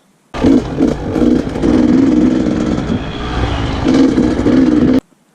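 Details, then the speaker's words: 2020 KTM 300 XCW TPI, stumble started around 10-15 hours: short throttle blips from idle where revs sag and stutter before pulling through; off-idle stumble blamed on a faulty crankcase pressure sensor, before replacement. "I've been having kind of a, kind of a stumbling problem, like right off of idle."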